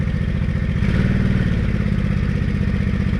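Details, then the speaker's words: Honda Shadow 500 V-twin after replacing broken and loose bolts found without Loctite, following a low-rpm knock and a worsening rattle; cold start with broken choke cable: even, steady idle thump, clunk gone; normal idle after repair. "oh my god the clunk is gone it sounds amazing oh I'm glad that's all it was"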